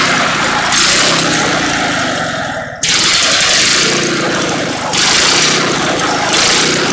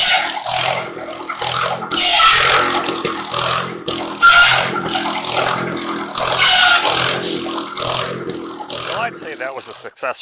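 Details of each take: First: Antique buzz saw rig engine, first start after sitting unused for years; spark confirmed at points, blew out rust, mouse nest inside: loud uneven running with surging bursts and a brief dip as it coughs to life. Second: Antique buzz saw rig's Wisconsin THD engine, after clearing a mouse nest to restore cylinder cooling airflow, cutting slab wood: holds steady under load through repeated cuts with no stumbling, healthy running under load.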